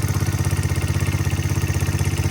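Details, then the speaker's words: 1985 Honda XR100 after a no-spark fix: even, quick single-cylinder thump at idle, quiet, with no cam chain slap, valve chatter or hanging idle; sounds like a normal XR motor, normal idle. "Look at that, she idles nice too. Engine's quiet. I don't hear any excessive cam chain slap or anything. The valves aren't chattering. Sounds like your normal XR motor."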